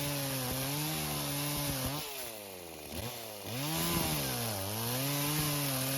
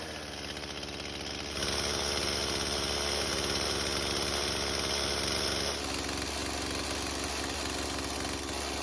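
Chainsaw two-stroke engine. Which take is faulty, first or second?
first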